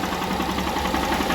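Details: Honda CG 160 Start 2018 motorcycle that had engine noise from lack of lubrication (oil change missed or low oil). After the top-end rebuild and clutch job, it idles steadily with an even, quiet single-cylinder beat and no knock or tick; now healthy.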